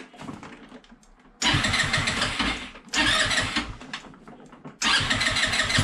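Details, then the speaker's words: Peugeot Django 125 scooter after carburettor replacement for hard starting and poor running, restart test: three quick cranks catch promptly, each settling into crisp even idle, no misses; idle may need slight adjustment. "the the float bowl then had to fill with fuel so it took a little while um but uh yeah and you know it started and it's running nicely so if we try again"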